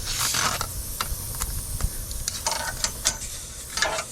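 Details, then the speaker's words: 1JZ-swapped Nissan S14, boost leak test at 10 psi after losing boost (16 psi at redline versus 22 before): sharp airy hiss spurting in bursts with handling rustle. Boost leak at a leaking intake hose coupler, then fixed. "Hear that? There's our boost leak. There's where our horse pressures are going to."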